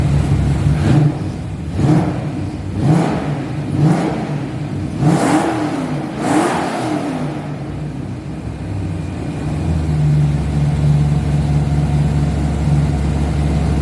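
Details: Drift car's newly assembled engine, first start after refitting it with the clutch and building oil pressure: about six crisp throttle blips roughly once a second, each climbing and dropping cleanly, then a smooth steady idle; normal start and revving.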